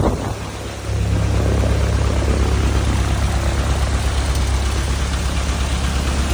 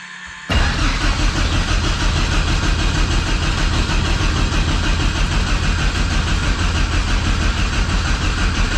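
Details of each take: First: Thorp T-18 homebuilt airplane engine, unrun about six months, fresh fuel and new starter: catches and settles into a strong, steady low drone with prop turning and heavy wind; running normally. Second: Thorp T-18 homebuilt airplane, unrun about 6 months, fresh fuel, new starter, boost pump on, mixture full rich: steady cranking nearly ten seconds with no firing; no start, fuel starvation suspected, primer not stiffening.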